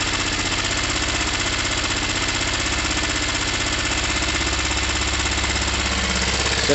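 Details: Gilera DNA 125 after carb and intake change, after cleaning both quite-black plugs fouled with fuel and oil: choppy, stumbling idle with uneven firing pulses, like missing on a cylinder; rough running, cause unconfirmed.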